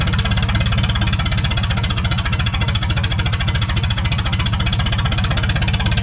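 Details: 1986 Lull 644 Highlander II telehandler diesel, sat for many years, after injection pump check; rough running with heavy steady knock about three per second, heavy smoke; oil full of metal glitter, engine needs replacing.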